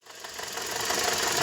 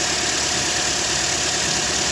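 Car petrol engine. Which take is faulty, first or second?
first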